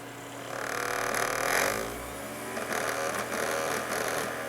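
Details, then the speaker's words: Computer CD/DVD optical drive mounted on its side (vertical), disc held by tray catches: rising spin-up whir, soft seek chatter and steady hum while reading. Normal operation. "it accessing, and it works just fine. So yes, in case you did not know, your computer's optical disk drive can be operated on its side."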